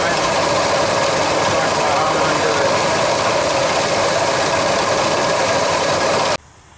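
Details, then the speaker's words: 1999 Ford F-150 5.4 L V8 idling with intermittent AC cooling despite recharge: harsh grinding and fast metallic chatter from a worn AC compressor clutch pulley bearing, clutch and pulley visibly wobbling, serpentine belt and tensioner wobbling too. "you can definitely hear the bearing you can see that the clut is wobbling around"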